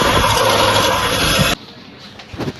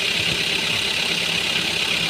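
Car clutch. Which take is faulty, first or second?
first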